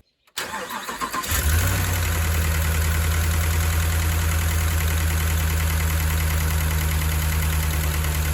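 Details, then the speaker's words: Hemi V8 truck cranks and idles with light regular tick about three a second even after reconnecting a loose wiring harness; cam and lifters suspected. "[Music] obviously we still have some noise so we're gonna have to do the cam lifters i guess that sucks"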